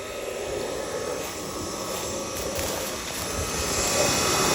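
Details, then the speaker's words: Pool pump motor that intermittently fails to start on its timer despite a new capacitor two weeks ago: steady, even whir with a constant hiss, no grinding, squeal or knocking; the motor runs fine when on, and a leak is suspected at the seal plate. "You can hear the motor's running all right."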